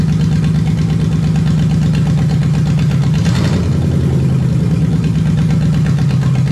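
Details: Lexus 1UZFE V8 barn find, first start after standing 6 years, running before going into a Jeep KJ, with ATF in the cylinders causing smoke; steady, even low idle with a smooth rumble, no knocks or misses. Normal idle.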